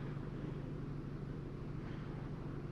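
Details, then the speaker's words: 2022 Genesis GV70 3.5 L petrol V6 at 25,000 km idling with a slightly uneven stumbling rumble and whole-vehicle shake; P0301 cylinder 1 misfire confirmed by misfire counter, persisting when rpm is raised. "Okay, there's still a misfire there. I don't know why it stops stop stops counting. I can feel the misfire."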